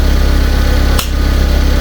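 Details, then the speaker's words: Fiat 500 on its first start after the repaired cylinder head and new head gasket were refitted, warming up: steady, even low thrum with regular firing pulses and no ticks, knocks or misses; it idles smoothly and sounds healthy. "It's definitely sounding sweet. Sounded a lot better this time. Really does."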